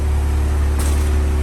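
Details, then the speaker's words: BMW M135i after full engine rebuild following seizure, revs dropped after cold start, no dashboard warning lights, fuel a bit low: smooth low steady idle hum with an even pulse, no stumbles or misses; healthy idle. "there's no lights in the dashboard no injury management nothing like that obviously there's a bit of fuel in the car it's a bit low the car is idling perfectly as a result"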